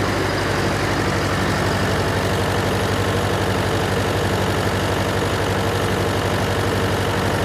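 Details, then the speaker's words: John Deere 401C diesel with cracked block, idling: lumpy uneven beat about four pulses a second, one cylinder missing; temperature check shows number three cold while others hot, confirming an injector problem. "yeah there's there's nobody home on three Four's hot and the other two are definitely hot so I think that kind of seals it that that was an injector problem"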